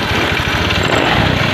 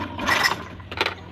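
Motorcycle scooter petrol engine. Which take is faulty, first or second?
second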